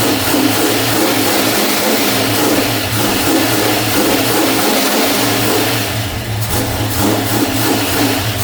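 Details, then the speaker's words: 1989 Ford Mustang with a 351 Windsor V8, fresh first start after time on an engine stand: loud V8 idles with an irregular lope and wavering beat; rough running, owner suspects oil burning off after oil leaked from the intake manifold top. "I think there's a some oil that is trying to burn up cuz I noticed there was even oil that was coming out of the top of the intake manifold cuz I had flipped it over. So, I think that's why it's running a little bit rough."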